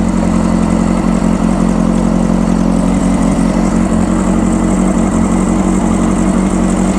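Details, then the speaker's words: 1995 Honda CBR600F inline four, running after sitting a very long time, with WD40 added: a fast, steady warm-up idle with an even exhaust note and no misses or knocks; runs nice and quiet, healthy. "that's sounding good I tell you what she's a sweet ride well there you have it that runs really nice it's nice and quiet"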